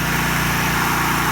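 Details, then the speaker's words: Roughly 7000 W generator, allegedly made in Japan, with the fuel solenoid bypassed to get fuel into the carburetor. Steady, even drone with regular firing and no misses or surging; running normally. "okay and that's that so now turn it on [Music] and you gotta work in generator and that's that"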